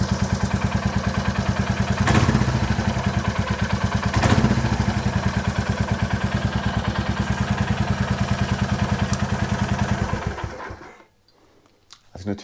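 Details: 2022 Royal Enfield Classic 350 Reborn single-cylinder, stolen, crashed and recovered, first start after recovery: even idle with light, quick ticking clatter over each beat until shutdown; loose tappets need adjusting.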